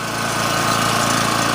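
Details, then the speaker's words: Generac GP 3250 generator after repair (new carb, gaskets, OHV gasket, fuel line, fuel shut-off valve, fuel system and tank cleaned, oil flushed three times); even constant drone through the big muffler, no surging or misfire, no smoke, normal running. "good to go be good for that sounds good nice and quiet okay this one's actually pretty pretty quiet"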